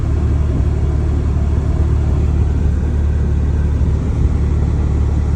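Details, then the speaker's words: Mazda RX7 FC3S rotary, warm, after stock ECU reset and relearn fixed a rough idle: deep, even rumble holding steady with AC switched on, no hunting or dips; healthy idle under AC load. "see when I stop the car H see yeah you all guys see no rough idle hiden bouncing everything also don't have see see it stays here AC open AC on you see the"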